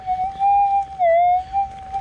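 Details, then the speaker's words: Minelab GPX 5000 metal detector with gain turned up to maximum 17: the threshold warbles and surges unevenly and ground balances poorly. The target is louder but the excessive gain adds a lot of noise. "I just put it all the way up to 17 so you can hear immediately doesn't want a ground balance terribly well quite quite noisy as we detect and you can hear that target it has gotten a lot louder"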